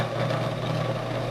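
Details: Garen 1 HP gate motor after its faulty coil/stator was replaced with a new 30 mm stator, run both directions on mains power: steady even electric hum with low drone underneath, running smoothly and normally.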